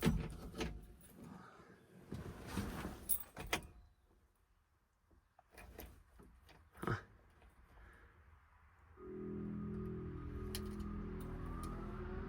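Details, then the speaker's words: Overheating Chevrolet 454 big block with the fan circuit jumpered and key on. After clunks, the electric cooling fans start with a steady, even whoosh and low hum: they work. "Turn the key on. Let's see if these fans turn on."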